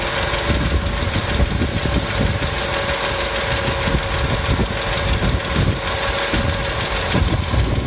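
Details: Customer's engine at idle with noisy hydraulic lifters, started after an additive was poured in, which later cured the noise; quick light top-end ticking at steady pace over idle, hydraulic lifter tick.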